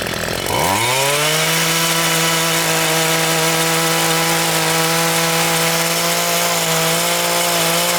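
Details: Homelite 26cc two-stroke mini tiller that sat outdoors for years: after the gummed carburetor and fuel tank were cleaned and fresh fuel added, it fires and climbs to a steady, even high buzz with no bogging. It runs clean.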